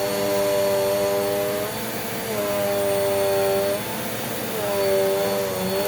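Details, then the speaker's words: Dirt Devil vacuum after replacing a stretched brush roll belt: strong, steady whir with a firm beating hum from the brush, tone dipping slightly when pushed. Brush roll at proper RPM; normal agitation. "so if you could hear the agitation from that you can see the big difference that that made because now you can hear hear the agitation properly because the brush roll is spinning at its proper RPM"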